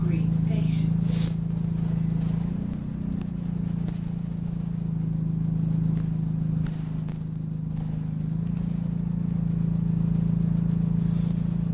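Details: Refurbished Optare Solo CT Plus bus on Route 309: steady low drone with short high-pitched squeaks every few seconds while driving; intermittent squeak, source not pinned down.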